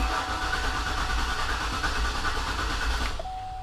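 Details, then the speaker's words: 2004 Cadillac Escalade with weak, recently charged battery: the starter spins the engine evenly for about three seconds but it never catches. "I would say cranks and cranks and doesn't start try it again"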